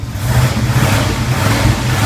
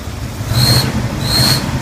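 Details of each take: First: 1981 Turbo Trans Am on a cold start with rough idle, air management valve unplugged, revved: a rough-edged engine note with no belt-type squeal. The squeal noise remains when the valve is plugged back in. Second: 1981 Turbo Trans Am, cold start, rough idle with the engine jumping: two short high squeaks over a low rumble on each throttle blip, believed to come from the air management valve, which is unplugged next to check.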